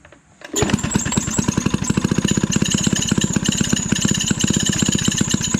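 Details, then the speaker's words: Maytag 92 hit-and-miss engine, an estate-sale garage find, runs with fast even firing pulses and a thin high squeak on top. The squeak later stops. "something yeah it it'll work see the you heard the squeaking stopped yeah there you go"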